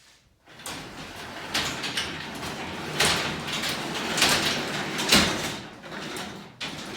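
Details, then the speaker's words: 9x7 garage door run by hand before repair: rumbling, scraping, harsh bumps and squeaks from worn-out steel rollers, later replaced with nylon rollers. "it looks like we're having some issues with our rollers causing some unsettling noises and sounds it's definitely not quiet"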